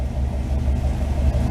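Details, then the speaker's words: V8 idling steady and smooth, slightly cold, after reinstalling a repaired MSD electronic distributor (burnt control module caused weak spark and stalling) with new coil and plugs; no misses, knocks or ticks before timing is readjusted. "Running nice. Now adjust the timing back up. Nice and smooth."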